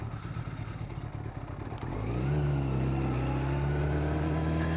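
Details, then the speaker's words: Yamaha YZF1000R riding in the Lake District with the exhaust baffle removed, recently fitted with new rear suspension. Deep, rough exhaust roar swells as the throttle opens. Very loud, and the rider wonders whether to refit the baffle. "I'm not sure whether I should have that baffle back in or not. It is quite noisy"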